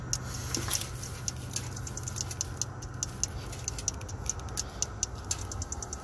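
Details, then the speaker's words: 2006 Dodge Ram 3500 5.9L with a crank/no-start and no ECM communication: crisp, even clicks of about three per second over a low hum, which speed up when a harness connector is moved. Intermittent clicking, likely from an intermittent electrical connection. "So I moved that connector, and it's doing that click, click, click again. Slow click, I move it, goes faster click."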